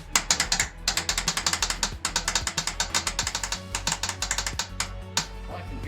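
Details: 1963 Datsun NL320 truck, sat 40 years, being turned over in first start attempt (no hand crank available): rapid ratcheting clicks about eight a second in bursts; source unclear.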